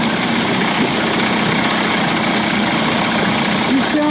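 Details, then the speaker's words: Johnson Evinrude 25-to-35 hp two-stroke outboard conversion, after low-speed timing sync and fuel pump/bypass cover swap, idle speed set a little higher: steady, even idle with no misses or knocks, held a touch high; healthy, runs fine. "I like my Motors to run a little"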